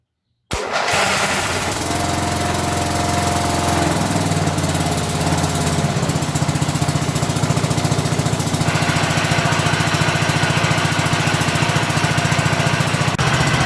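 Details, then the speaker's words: 1983 John Deere engine started on choke after fitting a new battery: catches within a second, then settles into a steady, even chug with no misses or knocks; runs perfectly. "Sounds good. Still runs perfect. Still runs perfect."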